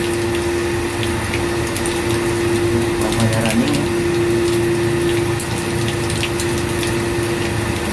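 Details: Booster pump during commissioning, pressure set to start at 2 and 2.5: a steady even hum over flowing water with no knocks or rattles; normal running.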